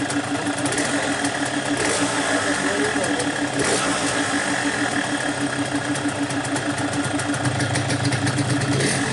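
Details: Yamaha RX King two-stroke, stock 135, after repair (magneto rotor re-pressed, clutch plates and springs replaced): quick, even idle popping about five beats a second with no rattle or clatter. Normal idle.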